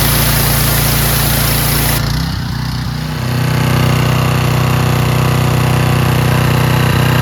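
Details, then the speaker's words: Curbside-find Craftsman/Troy-Bilt pressure washer, fixed by carburetor cleaning and tested with a Ryobi gun: a steady, even engine drone dips briefly as the gun opens, then recovers and holds strong. Normal running under load. "works great. Fixed. There you go, fellas."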